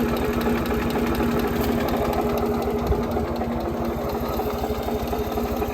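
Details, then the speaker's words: Ford 2600 tractor after valve adjustment (one previously stuck valve freed): even idle around two beats a second, much quieter, only light tapping under the valve cover, not like before. "sounded much quieter so these are pretty noisy but you hear a little bit of tapping ignore ignore that whatever that noise is but you hear a little bit of tapping under the Val cover but not like it was before"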